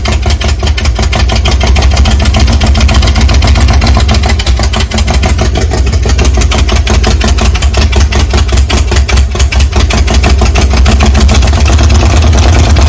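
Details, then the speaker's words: Big-cam 454 big-block Chevy on an engine stand, cold first start with no tuning: a loud, lumpy fast idle with a choppy lope. The camera mic makes it sound like rod knock, but it sounds healthy in person; the carburetor has problems. "it makes it sound more like it's got a rod knock and then it's got a lope but when you're listening to it stand there beside it it sounds good"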